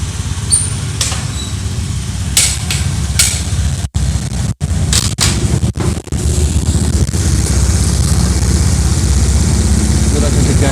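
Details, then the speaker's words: Honda Beat FI scooter CVT after replacing the worn, loose roller housing and thin V-belt that caused rough noise: steady low engine drone with no rattle or grinding from the belt drive. The CVT now runs smooth. "masih di bagian CVT sudah halus sebelumnya suara kasar"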